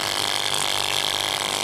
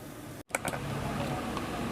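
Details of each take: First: और आवाज़ तो कर रही है साथ में जो है ना उसका एक पाल और भी है और यह गैस भी नहीं फेंकी रही तो आज इंशाल्लाह हम इसको रिपेयर करेंगे और इसको चेक करेंगे कहां फाड़ दे किस वजह से इतनी आवाज़ कर रही है Second: Gas compressor machine after repair, building pressure: brief click, then a steady, even hum with no knocking or rattling, noise gone, like new; normal running.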